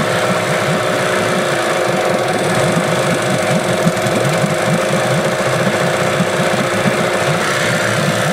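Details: Old small Yamaha outboard (the "little eight") that won't idle unless choked: loud running with a lumpy, uneven pulse and knocking beats; runs rough.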